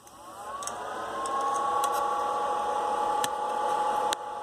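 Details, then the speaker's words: HP power supply fan heard from about one foot away: steady whirring that spins up over the first second and holds an even tone near 1 kHz, normal fan noise. "okay that's how loud it is about a foot away from the power supply"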